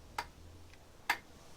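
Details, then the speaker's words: Motorcycle rewired with Moto Gadget system, clutch pulled in to start: two sharp separate clicks about a second apart, the starter solenoid receiving power and pulling in. "clicking so I know that is power going to a solenoid and it swipes across"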